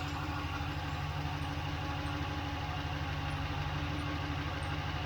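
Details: Ram 1500 5.7 Hemi V8 idling just after DIY oil change (6 quarts), heard from underneath while checking drain plug and filter; steady, even low rumble, no knocks or ticks; healthy idle, no leaks.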